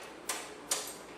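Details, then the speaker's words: Subaru engine swap, battery connected in front: at power-on two sharp relay clicks about half a second apart over a quiet background; normal relay engagement. "Here are a couple of clicks, some relays going off."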